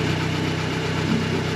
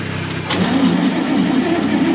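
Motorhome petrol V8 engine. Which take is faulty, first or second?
second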